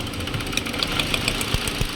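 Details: 2018 Hyundai Accent 1.4 with idle going up and down and stalling, before repair: uneven idle with irregular low thumps and stumbles, engine hunting; misfire traced to failing ignition coils arcing.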